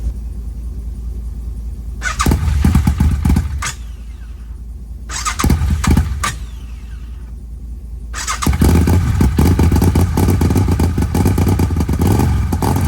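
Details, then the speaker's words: Arctic Cat 1000X side-by-side twin after new starter and upgraded gear install, metal shavings in the lower end, powered from a truck: two short cranking bursts, then it catches into a rough fast idle; starter engages cleanly. "we're going to see if it'll crank for the first time not going to let it run long because I still want to drain the oil out of it"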